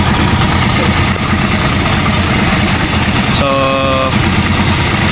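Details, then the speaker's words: Rusi Chariot 175 trike, single-cylinder, started with one click, idling, due for an oil change near two months: uneven idle with light quick top-end ticking; owner suspects thinned oil, tune-up and oil change planned. "Ayan mga travelers kung maririnig niyo merong lagat sa ating makina."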